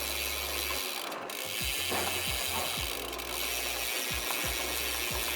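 Crank spins smoothly with the freewheel ticking steadily and no rubbing or scraping from the front derailleur, so the drivetrain runs clean.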